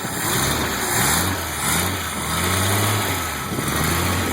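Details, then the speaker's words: 1986 Jeep CJ7 258 straight six, Weber 32/36 carb, ceramic-coated header, cold: even idle rising smoothly on throttle blips and settling straight back to a very smooth idle; healthy and strong. "you can hear she's healthy it goes right back down to a very smooth idle"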